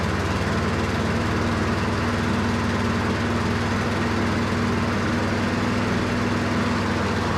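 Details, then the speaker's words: Lawn mower single-cylinder engine on a new carburetor, new spark plug gapped to 0.030 in, old go-kart gas: slow, lazy, steady putt well below normal idle, runs well but sounds weird; governor spring left disconnected; low idle. "sounds weird to me I mean it runs good it just sounds like it's a really low idle that's odd"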